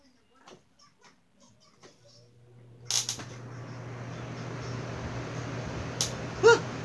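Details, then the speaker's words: Electric fan owned for years, run on an extension cord, still crackling after being unplugged and replugged: low mains hum, then irregular crackling hiss with sharp pops once the fan runs; electrical static, cause still unknown. "ah still making static noises freak I gotta see I got a look deeper"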